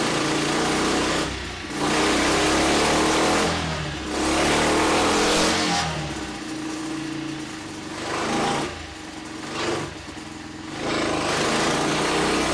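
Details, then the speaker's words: Freshly built Tillotson 236R kart engine on the dyno, running in on break-in oil with revs swept up and down at quarter to half throttle. The note is clean and even with no misfire or knock; the oil looks fine and the rings seem bedded in. "So, another session on the um running an oil going up and down the revs with about a quarter throttle, half air throttle."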